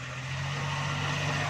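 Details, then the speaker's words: Suzuki Ravi reversing slowly after the gearbox was opened, a bearing fault repaired and refitted. A steady low drone with no whine, grind or knock. The earlier loud reverse-gear noise is gone and the gearbox sounds healthy. "देखें दोस्तों, ये आवाज़ ख़त्म हो गई है।"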